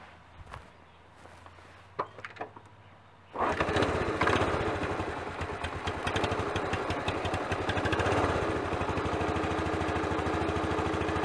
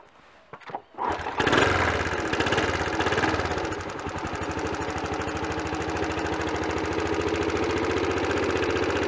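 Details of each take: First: Honda CT110 12-volt single-cylinder after head gasket replacement and valve clearances set to 0.002 in (0.05 mm) cold: engine starts and settles into a smooth, steady idle, tapping noise gone. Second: Honda CT110 small motorcycle engine after head gasket replacement, started briefly and idling, light steady tap-tap-tapping from loose tappets; excessive valve clearances, to be set cold at 0.002 in (0.05 mm).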